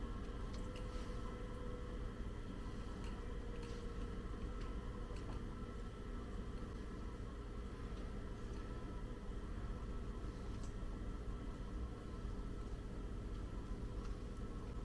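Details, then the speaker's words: Abused saw with its motor being tested before restoration, running on the one working contactor; low, steady hum with even pitch, no knocks or surging at low speed; drive pulley needs truing: normal running. "this is hopeful sign expect that's the low speed but that is what was coming from the one contactor that I saw would work when you hit that switch"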